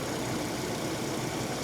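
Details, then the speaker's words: 2010 Mercedes ML350 with the 350 engine prone to balance shaft issues: smooth, even idle with steady low rumble, no knocks or ticks; seems okay, though balance shaft timing unverified (check via crank/cam position sensor marks). "how do I know well I have that crazy SLK 350 but this seems to be okay yeah"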